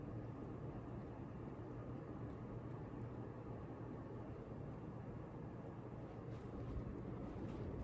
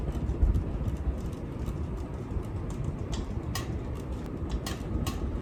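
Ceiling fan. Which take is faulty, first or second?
second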